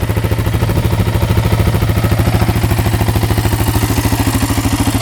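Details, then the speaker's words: Yamaha Raptor 660 quad after repairs, restarted instantly after a ride with no leaks; even, steady single-cylinder thumping idle with no ticking or clatter, engine healthy and running great. "sounds good, no ticking at all. Yeah, it's running great."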